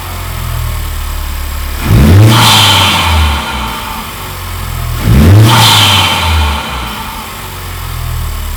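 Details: 2019 Honda Civic Type R FK8 just after installing an aFE Takeda intake, before any tune: steady idle, then two clean revs with a clear intake rush, no misfire or rattle. Normal idle and rev.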